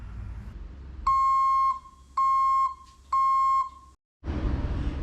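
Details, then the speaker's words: Truck that failed inspection for a non-working backup light, after repair: clean high-pitched reversing alarm, three even beeps about once a second; backup light and alarm working normally. "we got backup light and alarm. We're good."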